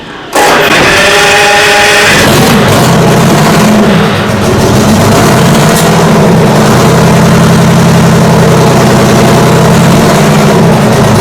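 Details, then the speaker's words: Detroit Diesel 6-71 two-stroke on its first start after work; catches and runs up to a loud steady high-speed scream past governed speed because the governor is broken inside; debris had fallen into the exhaust manifold; shut down straight away. "the governor took over and it just went past where it was meant to stop because it's broken up inside"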